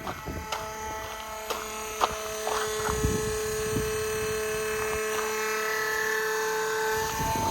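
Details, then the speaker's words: Flo-Jet macerator pump on an RV, hooked up directly after a clear 45 fitting would not seal, after 20 minutes pumping about 100 gallons through a half-inch hose: steady high motor whine shifts pitch as load drops, meaning the gray two tank is empty. "okay now you can hear the change so that means the gray two is empty"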